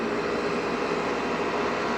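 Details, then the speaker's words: Aircon compressor running during a thermostat-control test, before cold water is applied; compressor running continuously would indicate a faulty thermostat. Steady, even hum with smooth airy rush, no knocking or rattle; normal compressor running. "natin, aircon. Gumagana na yung compressor niya."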